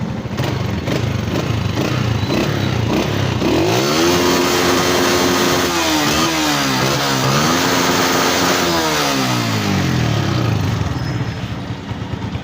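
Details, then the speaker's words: 2017 Honda CG125 single, final rev test after general tuning fixed missing and poor pickup, plug now reading clean: revs climb and fall smoothly several times, no stumbling or misfire. Healthy. "ठीक है, इसके बाद भी बिल्कुल सुन engine खड़ा हुआ है accelerator देने के बावजूद।"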